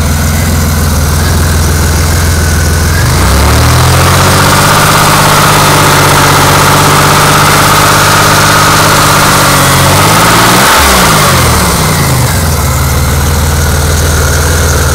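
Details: Car engine with 190,802 miles at idle knocks about four times a second, quicker and louder when revved and louder as it runs; rod knock suspected, not confirmed.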